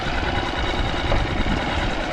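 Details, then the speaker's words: Small single-cylinder outboard, super quiet, warmed up: steady, even low thrum with no knocks or misses, idling cleanly while forward, neutral and reverse are tested; normal idle. "Yeah, super quiet motor, single cylinder."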